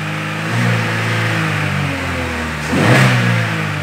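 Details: Chevrolet Cruze after repair of its misfire: a smooth, even engine note swells cleanly on a quick rev and settles back, with no stumbles. It no longer misfires.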